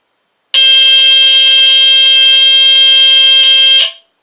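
Piercing high continuous squeal for about three seconds with a slight buzzy waver, then stops cleanly; alarm horn sounds properly on test.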